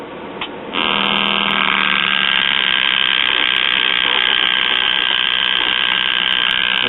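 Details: Circa-1938 Emerson portable tube radio (probably five-tube), on bench supply and cabinet antenna via clip leads: steady high-pitched squeal at switch-on with no stations received, the receiver oscillating; checked at first and second IF amplifiers.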